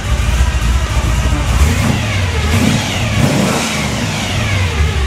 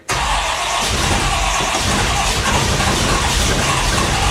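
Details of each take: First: 1957 Chevy 350 V8 with two four-barrel carbs and a Pete Jackson gear drive, running extremely rich: deep rumble with quick throttle blips, revs climbing and falling off extremely fast; a free-revving engine. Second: 1957 Chevy 350 V8 with two four-barrel carbs, just after a cold start: it catches into a loud, rough run with a steady mid-pitched whine from its noisy Pete Jackson gear drive; it runs extremely rich.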